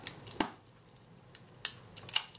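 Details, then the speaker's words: Kodak Retina camera shutter, previously dead, after servicing and refitting to the body with timing set; three crisp, clean snaps with no drag or hesitation, shutter trips and closes properly; normal shutter firing. "and fire it does okay so that was a good good guess"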